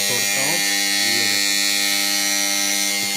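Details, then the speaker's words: Siemens LT three-phase power contactor on a high-mast light panel: loud steady electrical buzz with high rasping chatter that drops when the contactor is pressed; panel kept off as it may burst, cause not confirmed. "ये उसकी कांटेक्टर है ये देखो ये आवाज सुन रहे हो ये भाई इसलिए बंद कर रखा है"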